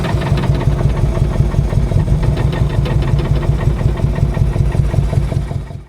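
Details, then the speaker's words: Mk1 Mini Moke small four-cylinder, previously seized from sitting, now running on a spare ignition key; steady even idle beat with no knock or misfire, then dies away as it shuts off; sounds good. "This thing sounds good."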